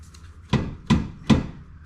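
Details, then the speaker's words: Toyota GT-Four on a jack: four sharp metallic knocks as the 3-inch exhaust pipe is pulled down and strikes the rear subframe; fix is padding between pipe and subframe. "so it looks like all we got to do is just put a little padding between this 3-inch exhaust pipe and a sub frame right here to dampen that sound"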